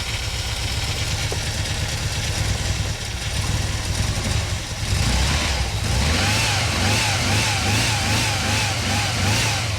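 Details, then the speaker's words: 1988 VW Vanagon after a new alternator, fuel lines, fuel pressure regulator and air filter: the engine runs steadily with a wavering mid-pitched whine attributed to an unidentified pump, suspected faulty; the earlier clicking was thought to be the distributor. "whatever the pump is that's over here oh yeah it has issu that sounds bad yeah but other than that sounds good"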